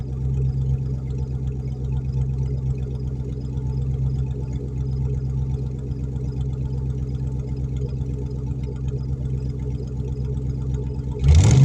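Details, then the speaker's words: Ford Mustang GT V8 with code for cylinder 4 misfire, after timing chain job and coils swapped unmarked: idle with uneven stumble then quick rev; intermittent misfire that seems to clear, cause not confirmed. "still just not quite right i mean a little bit of a misfire there seems to clear out though kind of weird"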